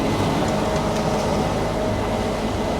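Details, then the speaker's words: Case IH 9120 combine harvesting wheat on steep Palouse hills, separator engaged and header cutting without reel; steady even roar with no banging or clanging, normal harvesting operation. "up actually sounds fine for now and here goes the header so the Reel isn't on there we go now we're cutting sounds fine"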